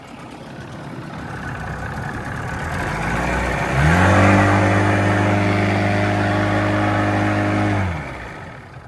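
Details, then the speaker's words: Outboard on DIY skiff (2018 Suzuki listed among motor tests), after a new fuel pump replaced the bad one: climbs smoothly to a strong steady hum and holds; now making power, fuel pump was the fix. "We're making power now. Woo. Sweet, that's it, that was the fix. Fuel pump was bad. We got the new fuel pump."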